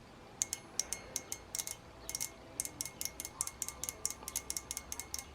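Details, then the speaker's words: Fuel injector on the bench during cleaning, pulsed by hand-tapping leads from a 12 V variable power supply while carb cleaner feeds through. Sharp, crisp metallic ticks in irregular bursts; the injector opens and closes properly. "i hope you guys can hear that that's basically my injector opening and closing right"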